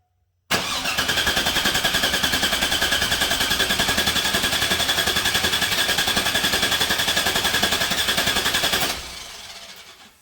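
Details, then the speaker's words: 2002 Chevrolet Silverado 1500 5.3L V8, P0300 misfire: cranking with no fuel, about 214 beats a minute, slightly uneven beat; relative compression test shows intermittent low compression on cylinder 2, diagnosed as exhaust valve not sealing. "so for some reason we got intermittent low compression on cylinder two so that definitely explains the misfire"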